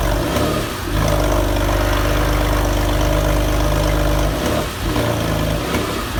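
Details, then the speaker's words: Porsche 911 (996), first start in over four years after engine reinstallation: an uneven, stumbling idle dipping and surging every second or so, caused by an unplugged throttle body connector. "So although the car started, it was running really badly, and after running it for a little bit, I stopped the engine and had a good look around the engine bay just to see if there's anything I could see I missed when reinstalling the engine, and then I did finally find the issue."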